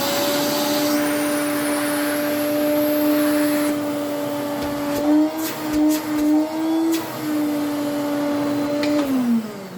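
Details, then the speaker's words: Restored 1980s Electrolux 350 cylinder vacuum: steady, even motor hum with a clean high whine, then pitch and volume fall smoothly as it winds down; healthy motor. "go yay so that sounds to me like an electrox motor should sound"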